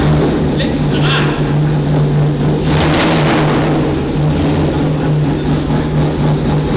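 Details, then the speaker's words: LS3 V8 newly fitted in a Land Rover Defender, right after first start: a deep burble loping unevenly instead of settling smooth, because the oxygen sensors are not plugged in. Rough idle from unplugged O2 sensors. "the reason it's lumpy is because the o2s aren't plugged in guys"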